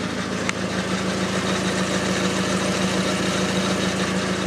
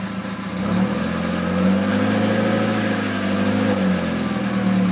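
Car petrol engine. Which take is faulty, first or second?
first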